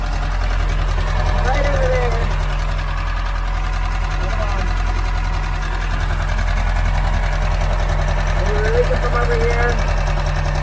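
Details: Boat inboard engine with new exhaust bellows and new water pump, after gasket maker on leak: steady even low rumble at idle, no misses or knocks; running smooth and healthy.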